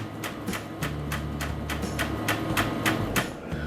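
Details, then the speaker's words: Brother printer or multifunction makes sharp crac-crec-tec ticks about three a second over a low motor hum and won't pull paper, showing a paper jam or out-of-paper message though the tray has paper and nothing is jammed; tray lift gear skipping. "escutam que ela fica tipo um Crac crec crec tec tec tec eu vou arrastar a câmera mais perto para vocês poderem ver ela fica com essa mensagem aqui ó de papel como se fosse um atolamento de papel ou uma falta de papel"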